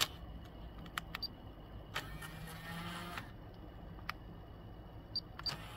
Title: Pioneer KEH-P9700R noisy eject and face down noisy